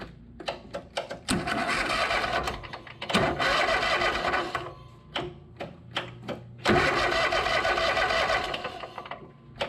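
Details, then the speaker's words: Riding lawn mower starter test: sharp single clicks in uneven bursts between cranking spells, starter sometimes clicks without turning; owner suspects it needs a solenoid; intermittent starter clicking. "That'll work. Sounds like we might need a selenoid that clicks here and there."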